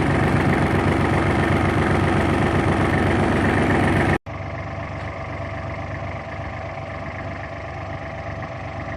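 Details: Kubota L3830 diesel tractor after replacing a faulty ignition switch (the dash had blanked out while cranking), battery fully charged: even diesel chatter at a steady idle, about four beats a second, no stumble; normal idle.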